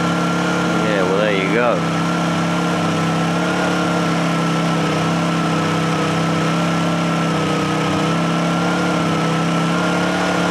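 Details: Honda generator after a choke cold start: steady, even hum with constant pitch and no misses or hunting; normal idle.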